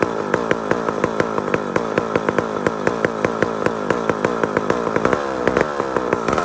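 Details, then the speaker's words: Mac 125 SP big chainsaw runs with a rapid, slightly uneven crackle and loud pops after tuning; its carburetor is softening up and letting fuel pass more properly. Carburetor settling after tuning. "the carburetor is starting to settle soften up and let fuel travel through its passages more properly now"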